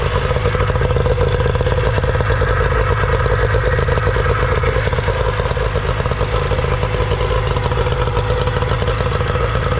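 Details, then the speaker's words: Older Nissan/Tohatsu 18hp two-stroke tiller outboard after a carburetor cleaning, started with choke and primer bulb. It runs at a steady fast idle with an even, uninterrupted buzz and no stumbling. Running well. "I'm telling you these older Nissan they always seem to run people tend to overlook them"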